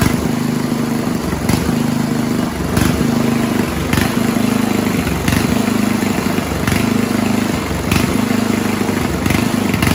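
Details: 1970s Roper 1032 snowblower, probably 10 hp Tecumseh-style engine: idle surges and sags about once a second, never settling. Lean idle circuit; fixed-jet non-dumping bowl fitted, then idle mix richened to cure hunting.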